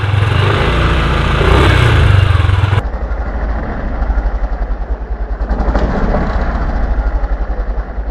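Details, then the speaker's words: Yamaha Aerox scooter with a covered number plate: fast, light buzzing rattle about four times a second over the idling engine, heard when ridden slowly; the plate vibrates against the middle of the fender. "so the sound comes from here, guys, when we take the motorbike slowly, it will vibrate like this and it's really uncomfortable guys"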